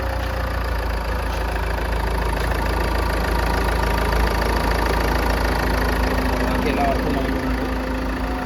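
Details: Land Rover Evoque 2.2L diesel, first start after replacing the timing belt, water pump, alternator pulley and belt tensioner: smooth, steady idle with an even low rumble and no knocks, ticks or rattles; engine healthy.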